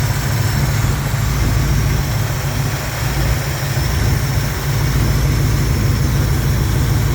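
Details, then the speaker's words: Jeep J10 idling after fixing a missing PCV valve that had stopped it idling: heavy low drone with an uneven, loping pulse and strong engine shake, less vibration at higher idle. No exhaust leaks or ticking remain, and suction noise comes from the intake. Rough idle vibration, cause not yet found. "yeah there's a lot of vibration in the engine"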